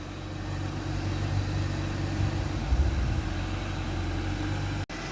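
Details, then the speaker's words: Ford Focus Ghia with Sigma petrol engine, bonnet open: steady, even low idle with no puffing, ticking or blowing; normal, leak-free idle. "Sounds really quiet to me. That's how a Sigma should sound. No blows, no nothing."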